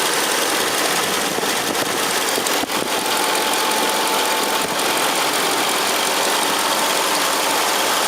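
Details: 2003 Mercedes CL55 AMG at first start after replacing the tandem power steering pump with a power-steering-only pump and refitting both belts, before warm-up: even, steady idle with a smooth hum, no knocks or squeals; healthy.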